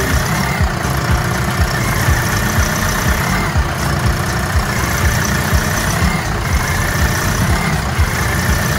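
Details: Doosan G2 forklift engine after repair (bent pushrod, stuck intake valve on cylinder 1 with carbon buildup, head machined, injector 1 repaired): steady idle with even low pulse about two per second, no knocking; sounds normal.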